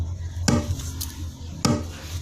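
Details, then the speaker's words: Speaker with no audio playing: two hard, hollow drum-like thumps about a second apart over a low hum; a disturbing knocking fault inside the speaker, cause unknown. "sobrang disturbo po yung tunog na yan, parang may nagda-drum sa loob."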